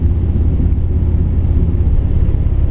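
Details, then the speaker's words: 1959 Chevrolet El Camino 348 Tri-Power V8, cruising; deep rumble with uneven lumpy beat, one cylinder seemingly dead, though it idles fine; new tune-up, good compression and spark; owner suspects a bad lifter or camshaft. "Yeah, it sounds like it's got a dead cylinder, completely dead."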